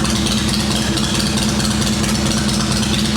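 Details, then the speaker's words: Shovelhead chopper V-twin after ignition got wet in rain and dried overnight: loping, uneven-beat idle holding steady with no misfire; owner suspects wet coil and plug lead parts, points and condenser fine. "It might have been the coil bits that got wet on the spark plug lead. That sounds fine right now."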